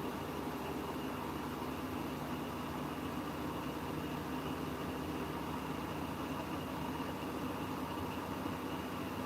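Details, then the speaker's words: Siemens washing machine on Eco 40-60 with a full 8.35 kg load of coloureds, in a long spin: steady, even whirring roar with constant hum, no knocks or scraping; normal spin cycle. "Wow. It's actually doing quite a long in spin as well. Surprised, but that might mean it's only going to do a lower end."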